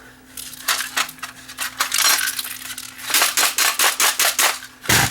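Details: Brand-new Technicolor 4K wireless IPTV cable box, rattling straight out of the box: sharp metallic clinks in bursts as it is tipped, a heavy loose piece sliding inside; a heatsink detached from its cheap plastic pins.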